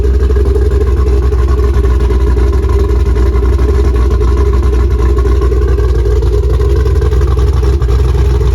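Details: 3V Mustang GT 4.6 V8, newly installed engine with new clutch, flywheel, headers and the original Steeda underdrive pulleys, first start: steady deep even idle pulse about four beats a second, no knocks, ticks or stumbles; normal idle.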